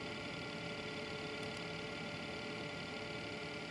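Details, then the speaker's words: New self-built PC: high whiny fans over airy hiss with a faint rattle from the Corsair 100 water-cooling pump at startup; rattle a known complaint for this pump, cause not confirmed. "so you hear the whiny fans and the rattling corsail 100. some people on the internet did complain about the rattle on this pump so may not happen to everyone but happened to me"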